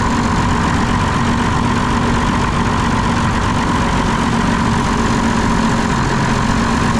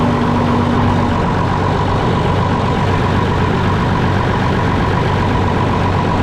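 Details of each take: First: Diesel engine on a concrete pump with air in the fuel system, injector lines opened to bleed, throttle screw adjusted: heavy, uneven, lumpy chugging; weak lift pump suspected of drawing air, later replaced. Rough running from air in fuel. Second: Concrete pump diesel engine after replacing lift pump and bleeding air from the fuel system: loud steady idle with deep even rumble, no stumbling or hunting, settling and running fine; normal idle.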